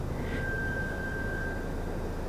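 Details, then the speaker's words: New Toyota Land Cruiser 250 Series: thin, steady high squeal for about a second while reversing at idle; it sounds like the brakes but isn't, the same happens on other new Land Cruisers, and the cause is unknown. "but essentially in Reverse it'll just squeak like crazy like the I don't know what it is it sounds like it's the brakes and it's not"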